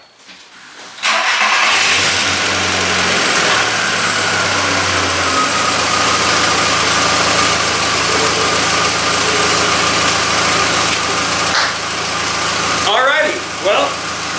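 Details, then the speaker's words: VW MK4 Golf, first start after reassembly with a new lower intake gasket, with coolant still circulating to purge air. Short crank, clean catch, brief high idle settling to a steady, even hum with no misfires: normal start and idle. "runs just fine just like she did before everything should be good"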